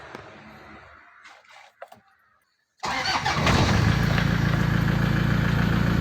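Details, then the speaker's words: Toyota Tiger D4D 2004 (B.E. 2547) common-rail diesel pickup, power steering, air conditioning, all gauges working: after a few seconds of quiet the engine catches at once and settles into a steady, even diesel idle; a normal, easy start. "ติดง่ายครับเดี๋ยวผมจะเปิดให้ดูเครื่องนะครับ"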